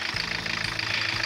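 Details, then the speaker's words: Diesel engine brought in new from Japan, car long sitting, intake heater not functional: fires right up and settles into a steady, even diesel clatter at idle with no misses or knocks. "the engine was brought in from Japan and put in this bar it's a new engine and it's running"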